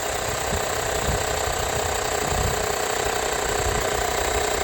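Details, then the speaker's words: YANTU cordless 12V air compressor on 12V power, filling airbags to 100 psi after running hard, warm but not scorching; fast, even piston chatter with a steady buzz and no labouring, running healthily. "Boom, 100 PSI, did that with ease. I'm sure this could pump up a bike tire up to 150 if there's even any bike tires that hold that."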